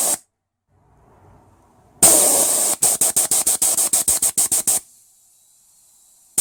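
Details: 1996 LandCruiser 80 series 4.5 petrol, A442F automatic, number 2 shift solenoid, the suspected fault, bench air tested; air bursts switch cleanly about three times a second and it seems okay. It may only fail when warm.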